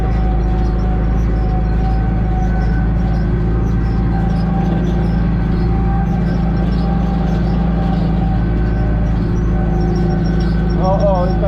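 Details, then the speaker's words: Hay baler (clover baling) behind a tractor: tractor drone with a thin high squeal that comes and goes; owner suspects a roller bearing on one of the rollers, which has play at the top; intermittent squeal. "takie piski słychać raz one są raz i po prostu nie ma widocznie gdzie jak się przekręci to tak piszczy"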